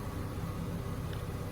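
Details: Mazda RX-8 Series 2 rotary, just reassembled after low-compression teardown rebuild, first start after cranking for oil pressure: low, smooth, steady hum with no misses, knocks or surging; idling cleanly.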